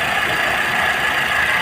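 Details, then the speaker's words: Chevrolet Sail petrol engine, which misfired when warm with a blinking check engine light, now idles steadily with no stumbles after repair and test drive; misfire fixed. "देखिए, इसमें 1% भी कमी नहीं है; दोस्तों, गुमशुदा होने की समस्या का समाधान हो गया है।"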